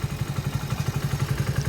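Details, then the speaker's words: 2020 Hero HF Deluxe BS6 100cc at about 20,000 km idling with a fast, even ticking clatter; owner says there was no such noise before and tappet sound began right after the 7th service. Timing chain also mentioned; cause suspected, not confirmed. "पहले समय शृंखला कोई आवाज नहीं थी। लेकिन सेवा की जानी है ठीक उसके बाद अंदर से टैपटि ध्वनि सुनना शुरू कर दिया।"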